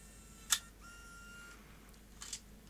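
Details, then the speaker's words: Sony DCR-IP7E MicroMV camcorder after repair, test-ejecting without a tape: a crisp latch click, a short smooth motor whir, then clean clicks as it closes. The tape mechanism works normally. "I'll make sure it closes without the tape it's all going very well so that little micro MV camcorder appears to be in good working order"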